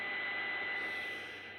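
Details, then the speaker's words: New Kenwood TS-890S monitored with no audio input, processor on, factory defaults: a steady hiss with a thin constant high whine, line noise generated inside the radio that rides on transmitted signals. Owner suspects a design or software fault. "it's this kind of humming now I'm monitoring the sound and you can hear that one and that is construct behind your baseline of operation"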